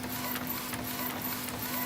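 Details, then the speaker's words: Epson printer, about 60,000 pages, that squeaked loudly from a worn drive motor with heavy play: after the motor was replaced, a smooth steady hum with light regular carriage clicks and no squealing. Normal operation. "так двигатель я поменял насчет пока кружку не стал одевать на аппарат теперь мы не слышим никаких лишних шумов все четко и хорошо"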